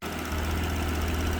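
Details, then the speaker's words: Vauxhall Vectra VXR, first run-in after a full engine rebuild: even, deep idle with a steady low thrum and no knocks or misses; single mass flywheel fitted, so some rattle is expected; normal idle. "she's running so far, again, touch wood, I wouldn't want to say that she sounds good, or that, you know, we can't hear any unusual noises. Obviously, yes, we've got a single mass flywheel on there, so it will be a bit noisy and rattly, but this to be expected."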